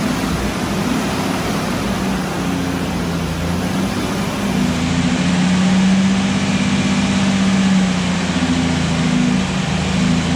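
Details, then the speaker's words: Restored Jurassic Jeep #73 engine running after reassembly and first start, stuck rpm gauge fixed; steady low drone rising and falling smoothly with throttle, no knocks or ticks: normal. "so a successful morning took us about five or six hours but we made it so the jeep runs okay yeah very successful"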